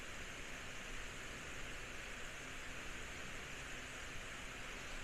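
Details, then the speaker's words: Household remote-control fan with side guards removed: steady loud airy rush, noisier without guards, about 70–80 dB, 55–72 W across speeds 1–3; loud fan noise. "The other interesting thing I noticed is without the side pieces, it's actually a bit noisier now."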